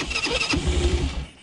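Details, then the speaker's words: Newly restored quad, hard to start and needing several tries because the automatic choke barely works: a short, ragged burst of firing that sputters and fades. The quad also smokes heavily once running. "alors je sais que le démarrage est laborieux un petit peu qu'il faut faire plusieurs fois"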